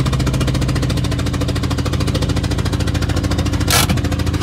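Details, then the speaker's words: Renault 5 driven back after a very loud bang and big power loss: engine runs rough with a sharp puffing chuff each firing stroke; a spark plug was blown out of the head, plugs likely left loose. "it was a very loud bang and then we've lost a lot of power we can't afford to lose a lot of power in this car something's very wrong oil but it's not too I think it kicked the spark plug out"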